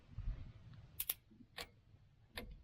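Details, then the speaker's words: 548E skidder being revived, no key, pump wired to the starter hot terminal. Sharp dry clicks, about five in three seconds at uneven spacing, as the electric fuel pump cycles while priming. Engine won't fire yet. "Hear that pump switching on and off? It will not fire, so I'm gonna hook that where it's on, and we should be able to attempt to start this thing."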